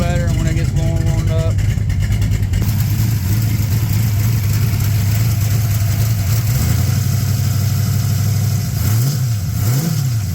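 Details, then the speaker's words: 6.0 LS swapped into S10/Sonoma, started a little cold after fuel pump prime: engine blips and settles, faint whirring as revs fall, owner attributes to heavier aftermarket rocker arms; slight exhaust leak tick at header collector. "but these rocker arms, they do make a little bit more noise than the stock ones. I guess just a little bit more weight rolling around, but you can hear a little, you can hear it kind of like a whirl sound, almost like s"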